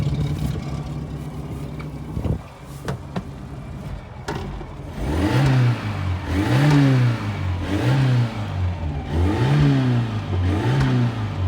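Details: 1988 Suzuki Samurai after bypassing the fuel filter with new rubber line: after handling clatter, the engine revs in even blips, rising and falling cleanly with no knock or stumble; it runs normally.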